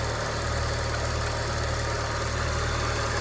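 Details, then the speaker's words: Used car idling, no gas pedal: steady even low hum, smooth rhythm, no knocks or ticks; engine okay, oil still at normal level though not yet changed. "tanpa injek gas, tanpa apa, mesinnya oke ya."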